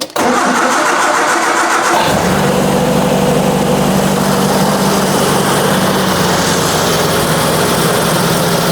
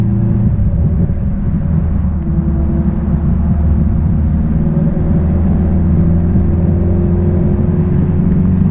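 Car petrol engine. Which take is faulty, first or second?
first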